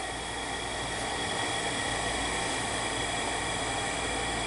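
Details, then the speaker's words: Shibaden (Hitachi) SV-510U reel-to-reel video tape recorder in play mode: steady airy whir with a faint high whine from the spinning head drum, but the capstan isn't turning because its drive belt is missing. "alright play a capstan ain't turnin so that's be driven by a belt I don't know where it sounds like the heads are spinning"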